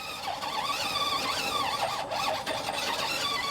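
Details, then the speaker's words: RC crawler at low throttle: thin motor whine wavers up and down, give and take instead of holding steady; owner blames speed controller for poor throttle control. "you can hear the kind of the motor kind of give and take"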